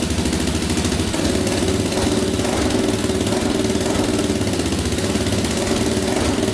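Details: 2004 Yamaha Raptor 660 quad, choke pulled manually, before carb cleaning: steady, even idle with a quick regular beat, no misses or knocks; owner thinks compression sounds fine and suspects no air leaks.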